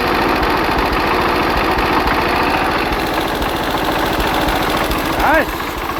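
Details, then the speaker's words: Hatz single-cylinder diesel converted to Otto cycle on wood gas, after ignition timing was changed by about 10°: steady, even thump at fast idle with no misfires or popping; sounds much better, normal running. "it's about 10° earlier now now I'm very oh that sounds a lot better"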